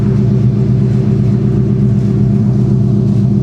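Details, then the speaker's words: 1999 Mustang Cobra V8 with Bassani exhaust after ASI radiator install, idling while burping coolant with heater on: deep even exhaust rumble, no knocks or stumbles; normal idle. "That's the sunny exhaust, you guys. And y'all know that car sounds good. Yeah, man. Nothing sounds like a Mustang, especially a 99 Cobra with basani exhaust."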